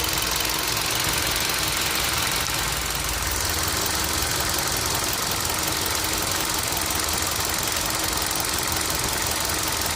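Steady idle with a quick, loose ticking over a bright hiss, about three per second; ticking present, source undetermined.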